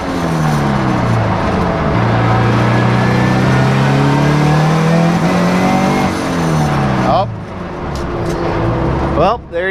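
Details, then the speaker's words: Turbo Scion FR-S, about 400 whp, in map 2 at 14.5 psi after new coil packs: hard pull with climbing revs, then power suddenly drops and the note stumbles; misfires logged on cylinders one, two and three, cause unresolved. "go and it looks like the misfire counter has a misfire registered four cylinders one two and three now"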